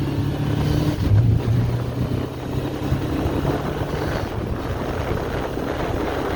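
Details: 1981 Honda CB750K four-cylinder on its first ride in ten years after carburetor rebuild and idle screw adjustment: smooth, even drone under wind rush while riding, no misfire or stumble; normal running.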